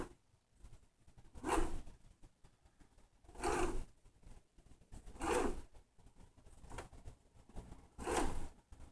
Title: MyT300 Resistance and light grinding noise (but works great!)